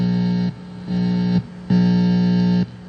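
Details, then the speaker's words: Precision Bass pots with no ground wire between them, amp under fluorescent lights: low mains buzz surging in bursts when the control is touched; soldering a ground wire between pots removed the hum. "if you listen you can actually hear it is humming so it is there is a hum produced because these two pots are not grounded together"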